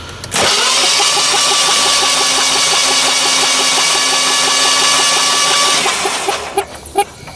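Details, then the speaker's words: Natural-gas Generac generator engine with the rear spark plug out and fuel shut off, cranking steadily with no clanking and sounding normal. Internal damage to the piston area and push rod was found. "i don't hear anything cranking clanking sounds pretty normal there"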